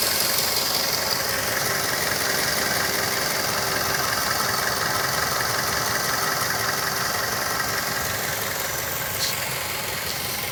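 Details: 2006 Mazda3 s 2.3 held near 3000 rpm, where a strange sound appears, heard better from inside the cabin. A hissy roar with a faint rapid rattle about three per second. Source not identified.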